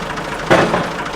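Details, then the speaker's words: Newly bought restored compact tractor, hydraulic lift arms lowered on the slowest drop setting: a single hard slap as they land on concrete, then quiet; brutal drop but hydraulics work normally. "let's do now is the now this is on the slowest this is how quick it falls but it's still pretty brutal especially on concrete so you just have to be really gentle with it otherwise"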